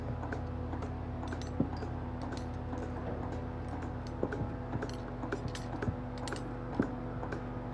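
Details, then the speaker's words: Cow milking machine during milking: steady low hum with sharp, overlapping ticks from the pulsators squeezing the teat cups under vacuum; normal pulsator operation. "rks is there's the ticking sound that you can hear maybe you should be able to hear that but so that's the pulsator and how the pulsator works is it squeezes it and it allows the moment to come out"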